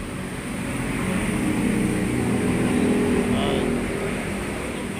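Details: 1997 Toyota Starlet Kapsul (EP81) 1300cc after swapping the racing exhaust back to a stock muffler at the owner's request for a quieter sound; engine rises and falls smoothly with a soft, even exhaust hum, no rasp or drone: normal exhaust note.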